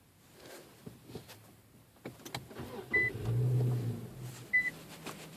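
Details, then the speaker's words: M37 vehicle that won't stay running. After warning chimes it catches for about a second and dies with all dash lights on, repeated at least 10 times, including while pressing the brake: starts then immediately stalls. "and it just kills and all the lights you can see light up turning it off going to try to turn it on again killed again"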